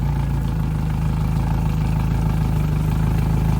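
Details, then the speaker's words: 2010 Yamaha F115 four-stroke outboard on a 2010 Bennington, first startup after years of sitting, with a strong tell-tale water stream: steady, even low idle with no knocks or misses. Sounds good. "Sounds good. Idling down now."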